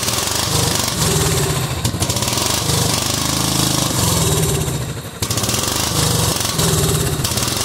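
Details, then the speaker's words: Cub Cadet 2130 lawn tractor, just started: runs lumpy and uneven, beat stumbling and surging; fuel system full of water and rust, owner suspects water in the carb bowl, plans to drain it. "let's see if we can drain this bowl over here and get some of the crap out of it I think that's probably why it's running like crap"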